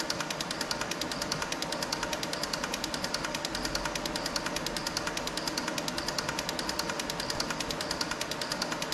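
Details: Six fuel injectors on bench testing unit, pulse injection test checking firing and solenoids: fast even clicking at steady rate, no misses or stutters; all firing correctly, flow readings close across.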